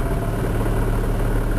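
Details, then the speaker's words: Car engine with 180,000 km idling, clutch pedal pressed further: low steady hum with a loose fine rattle that owner attributes to the manual gearbox, not the release bearing; suspected, not confirmed. "А когда надавил ещё звук это коробка о во слышно"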